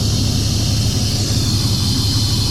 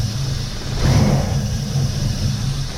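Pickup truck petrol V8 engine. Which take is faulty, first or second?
second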